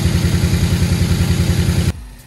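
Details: 2016 Ford Focus ST 2.0 turbo from auction (no boost complaint), started after cranking with coil packs off to prime turbo oil; steady, even low idle, no knocking or turbo whistle, cuts off cleanly; engine runs healthy.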